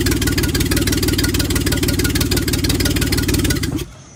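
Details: Reliant Scimitar GTE engine unused about 25 years, freed seized pistons, wrong carb, weak compression, timing reset: the engine fires and settles into a steady, even run with a firm exhaust beat before shutting off.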